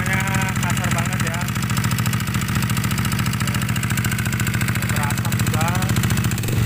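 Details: Yamaha NMAX scooter engine previously wrecked by water hammer from flooding, before teardown: lumpy, uneven idle stumbling around ninety beats a minute under loud chatter; engine running very rough, cause not confirmed.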